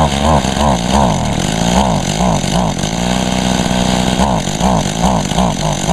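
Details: Mantis mini tiller, first start in about a year and little used; two-stroke surging and sagging, revs hunting instead of holding steady; boggy, owner attributes it to nearly empty tank, also wonders about a clogged spark arrestor screen.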